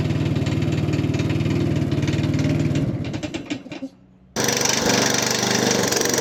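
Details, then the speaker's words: Hayter Harrier 56 Pro lawn mower, previous owner reported a strange noise; spark plug and blade bolt tight, carburetor dirty, needs carb spray to start, auto choke suspect: engine runs with rapid uneven knock on firing beat, dies and restarts with same rattle. "yeah definitely some kind of knocking interesting"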